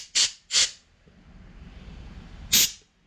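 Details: Bosch CP3 injection pump from a 2009 6.7 Cummins, dated 8/2022, air-tested on the bench: air hisses freely through the unpowered solenoid and stops when energized. Solenoid is good.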